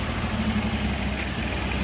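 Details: Car started after starter replacement, jumped from donor battery: smooth, even low petrol idle rumble with no misses, knocks or hunting; healthy.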